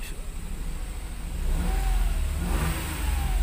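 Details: Toyota Wigo after replacing the spark plug to fix rough idle and misfire: engine picks up cleanly from idle and revs smoothly with an even, steady note and no stumble; normal revving.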